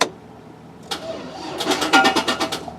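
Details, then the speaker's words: 2004 Chevrolet Silverado with parasitic battery drain: sluggish uneven cranking pulses for about a second with no catch, battery dropping to 7.9 volts while cranking; slow crank from discharged battery. "so next step right now is gonna be go and check the voltage while I'm cranky so I'm connected there the battery and we'll have 7.9 poles we crank it"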